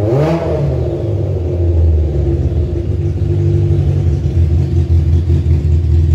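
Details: Kawasaki ZZR 1100 engine swapped into a Fiat Panda 750 Fire, during engine tests: quick rev flare, then a loud, steady, even drone with no knocking or rattles. Running cleanly.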